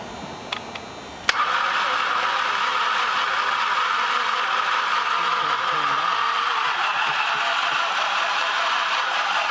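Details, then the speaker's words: Flood-damaged car with new spark plugs and intercooler disconnected: starter spins engine over in a flat steady whir, never fires; has compression, no longer locked up, battery possibly weak. "i don't know it's spinning over that's good so it's got compression it's not locking up anymore but it looks like we might need a little more power"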